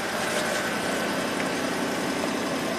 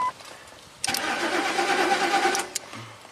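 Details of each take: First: 2003 Ford 5.4L V8 (called Expedition and Excursion), over 200,000 miles, after repairing a no-fuel-pressure fault (P0231) by feeding the pump from the PCM relay. Pump draws about 5 amps at 13 volts. Steady, even idle hum with no knocks, misses or surging; running normally. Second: 2003 Ford 5.4L V8 (called Expedition and Excursion), over 200,000 miles, off the road six months. Fuel pump and inertia switch already replaced; P0231 stored, no fuel pressure, 0 volts at fuel pump relay output. Under two seconds of steady cranking without catching: crank, no start.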